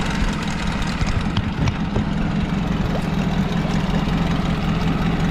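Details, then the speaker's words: Honda outboard after oil changes in the engine and lower unit, with a bracket holding a Yamaha fuel connector. A steady, even low putter with no misses or knocks; it fires right up, idles cleanly and pumps good water. "feel like the camera doesn't do it justice but it's actually pumping good water"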